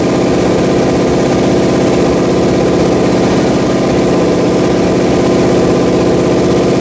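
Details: Pontiac 400 V8 on a homemade engine run stand, second flat-tappet cam break-in after a wiped lobe; loud, steady fast idle on the fast idle cam with an even beat and no lifter tick, a healthy break-in run.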